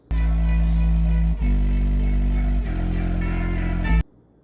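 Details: Klipsch ProMedia 2.1 subwoofer, about 20 years old, playing bass-heavy music with buzzy rattling distortion on low notes caused by torn, deteriorated foam surround.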